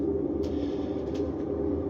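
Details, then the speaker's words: GE washing machine that wouldn't start due to bad drive belt, after fitting genuine GE replacement belt, running empty with lid locked: even, steady hum, constant low tone, no knocks, scrapes or slipping squeal; drum spins cleanly. "I don't know if you can hear it or not but it is spinning now"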